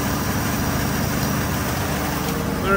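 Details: Engine idle on project car "Mortia" after fuel pressure regulator work: steady, even hum sitting a touch fast for a warm idle, no misses or knocks; idle speed still set too high, being turned down with a screwdriver.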